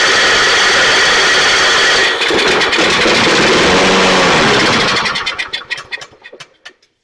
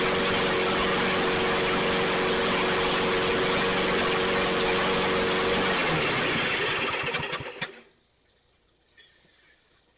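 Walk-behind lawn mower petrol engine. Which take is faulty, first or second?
first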